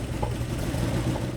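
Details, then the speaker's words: 1987 Porsche 911 Carrera 3.2 engine on test stand, fuel pressure about 2 bar, white smoke and fuel leak smell: lumpy, popping idle with a wandering beat; DME struggles to establish RPM, misfire from a faulty crank position sensor signal. "so I'm going to start it up again show you guys what it's doing it's having a hard time establishing the engine RPM"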